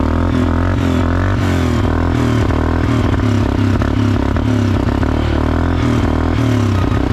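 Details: 2011 Suzuki King Quad 750 AXi 4x4 after a top-end rebuild with timing set, a fresh plug, new battery and only about ¼ gallon of fuel. The single cylinder runs unevenly with a lumpy, stumbling beat and clattery top end. Leftover bad fuel is suspected.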